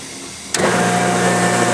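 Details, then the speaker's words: 10 HP Worthington rotary screw backup compressor, paired with an Atlas Copco GA11, starting up. Quiet hum, then a sharp start at half a second into a steady, even whirr with clean tones; normal start and running. "This is the backup Worthington backup compressor. Same thing, I'm going to start it up."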